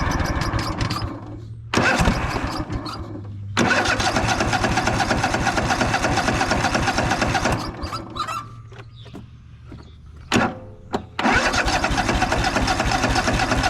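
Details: Craftsman DYS4500 riding mower, 26 hp Craftsman Courage engine, sat over a year; after cleaning a dirty fuel pump vent, repeated cranking bursts catch only briefly and die; fuel starvation, engine won't keep running.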